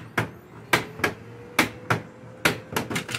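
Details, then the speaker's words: Brother DCP-L2500 laser printer with a stiff front cover and a drum and toner cartridge that won't come out; sharp uneven cracking about twice a second over the motor hum, likely a faulty toner cartridge drive gear. "совокупности треск крышка и не возможность извлечения драма говорит о том что скорее всего неисправна приводная шестерня тонер-картриджа"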